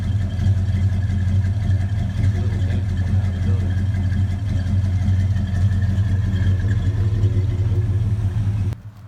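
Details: 1970 Dodge Super Bee V8, 50 years old, already warmed up, just after replacing valve cover gaskets (old one was the big oil leak), steering box and fan shroud: deep steady burble, even firing, no ticking or knocking; normal idle.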